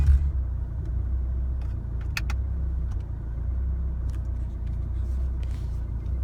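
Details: 2016 Chevrolet Colorado 2.8L diesel, warm after a highway drive, rough idle in driveway after acting strangely in the neighborhood: deep rumble with uneven lumpy beat; idle settles to normal after shifting to park and back into drive; cause unknown.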